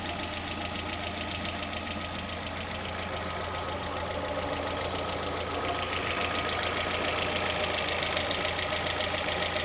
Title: Стук гидрокомпенсаторов ВАЗ 16 клапанов